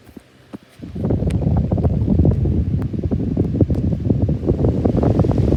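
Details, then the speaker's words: 2019 Schallen 12-inch desk fan: spinning at speed with uneven scratchy rasp and irregular clicking, worse with oscillation on; dry, worn-out motor bearings. "now he is off spinning time is bad just bad bearings anyway now we're going to engage oscillation and we'll start as low the bearings are even worse with oscillation on"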